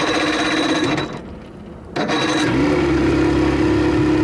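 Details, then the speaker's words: 1987 Johnson 40 hp two-stroke outboard in the water, shifting into reverse, motor mounts worn: loud rough rapping sags and nearly dies for about a second, picks up with throttle; poor idle, stalls without throttle, idle adjustment needed. "gotta fix that idle. Alright, idle it back down a little bit. Pop it in reverse. Ah. Alright, let's try to adjust the idle real quick here first. So we're having a slight issue with the idling."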